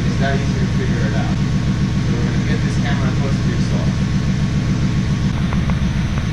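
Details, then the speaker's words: LT1 V8 Trans Am daily driver at idle: lumpy idle with an uneven low thump a couple of times a second breaking the rhythm; misfire, running on seven cylinders, traced with a stethoscope to a bad fuel injector. "but the stock it should have been smooth not this sound so that's a misfire right there"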